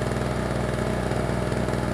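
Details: Tailgater small single-cylinder generator after a top-end rebuild with new piston, cylinder and carburetor, started on choke: fast, even chatter at steady speed with no misses, knocks or surging; runs cleanly.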